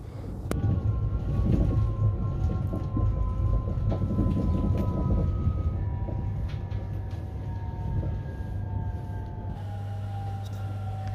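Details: Train on electrified but jointed track between Smedjebacken and Fagersta, autumn: rumbling arrival with falling motor tones as it brakes, uneven surges and scrabbling suggesting wheel slip on slippery rails.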